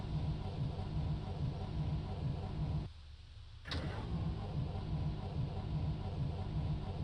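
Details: MB bus on a cold damp morning in Germany: steady low churning crank, short pause, more cranking, engine never catches; cranks but won't start.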